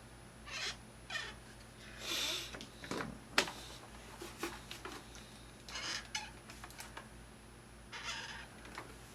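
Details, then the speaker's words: Thrustmaster rudder pedals. Short high squeaks each time the pedal is pressed, because the arm shifts sideways and rubs its plastic housing. Pushing it away stops the noise; lubrication is only a temporary fix, a design flaw. "the pedal can move a certain amount left and right and where intersects with this and this my gets rubbed up next - it seems like noise yeah push it away gets rid of it"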